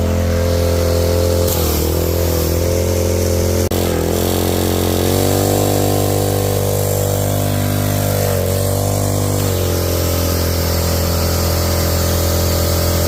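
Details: Craftsman 3300 psi pressure washer, small gas engine, after a water pump oil change: started with choke open, hose and gun connected, water on. Steady drone with a low hum that dips briefly under load then recovers; no knocking, runs evenly.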